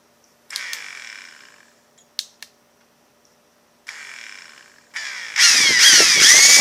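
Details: Ryobi P738 inflator with a no-start fault, coaxed by repeated partial trigger presses before locking on full; several short hesitant motor bursts, then a steady high whirr; not switch or batteries, suspected handle electronics or motor.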